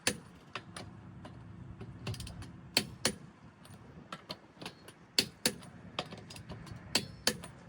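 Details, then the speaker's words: Torque wrench set to about 100 ft-lb on a car's wheel lug nuts during a tire rotation: sharp separate metallic clicks about once a second as it breaks over at set torque, meaning the nuts are tight. "When you hear that clicking, that means it's tight."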